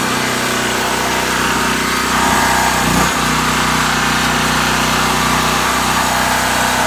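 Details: New Powerhorse 4000 generator on its first run: a loud, steady engine drone holds one even speed with no surging or misfire; it is running normally.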